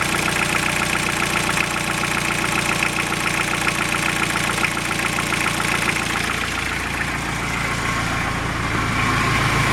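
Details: Toyota Emina/Estima 3C-TE diesel, sound under the car: steady idle with a fast light tapping like a pencil on a table over clacking valve clatter; completely worn vacuum pump plus incorrect valve clearances.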